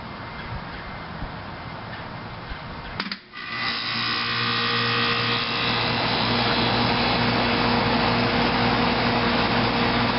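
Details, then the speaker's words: 1993 Carrier air conditioner outdoor unit, switched on: click, brief dip, then compressor and fan settle into a smooth steady hum, no rattle or squeal, not very loud; normal running. "Yep, she's a smooth runner. Not a very loud unit."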